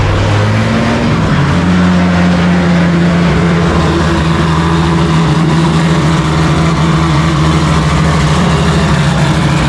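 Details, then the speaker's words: Drift car engine, untuned with only fuel pressure and idle set, just after a cold start: steady even low drone settling into smooth idle, no lumpiness or misses; running healthy. "Obviously it didn't sound lumpy then because on a cold start I've"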